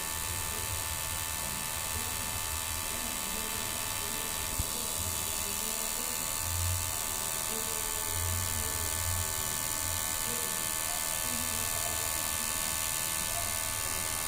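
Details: Ola charger making an abnormal noise: faint irregular ticking and buzzing roughly every couple of seconds over a steady electrical hum.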